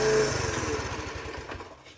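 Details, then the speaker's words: 2007 Honda CT110, sitting for three years with old fuel and a rattling timing chain, chugs unevenly and dies within seconds once the choke is turned off; the pilot circuit is clogged. "All right, so you turn the choke off and it dies. So, obviously, the pilot system is completely clogged."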